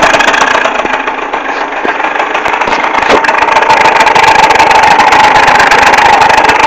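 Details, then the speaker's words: Neo's 70 two-stroke scooter buzzing busily at idle, a thin whistling tone rising partway through; noise persists a second or two after switch-off, seems louder at the exhaust than the kick-start side; cause unknown. "Donc voilà, quand j'enlève enfin quand j'éteins le scooter, le bruit continue un peu genre une seconde voire deux. Donc voilà. Donc je trouve moi qu'on l'entend plus côté pot que côté boîte à kick."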